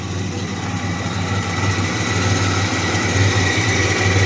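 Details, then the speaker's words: 1985 Pontiac Firebird at idle: steady low idle with a thin constant high whine that grows slightly louder; owner unsure of the source, thinks it is still the alternator but not its bearing, and says it seems to come from down low. "think it's still the alternator it's making I think the it shouldn't be the bearing cuzz I I don't [ __ ] know it sounds like it's coming from down [Music] here"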